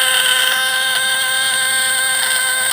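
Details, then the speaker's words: 24-volt contact-breaker (platina) fish-shocker adjusted under load: steady high, even buzz with no stutter despite slight sparking; points set correctly and running cleanly. "Sekalipun ada sedikit percikan, itu tidak masalah selama suaranya mantap."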